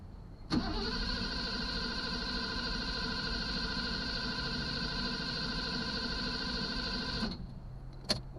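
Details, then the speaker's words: 1983 Mercedes 380SL, sitting unused, battery just hooked up: strong even starter cranking about seven seconds, oil pressure shown but no firing and no fuel pump hum; owner suspects fuel pump not delivering fuel; crank no start. "i have oil pressure but nothing happening so so i'm not getting i don't hear a fuel pump so my guess is there's no fuel"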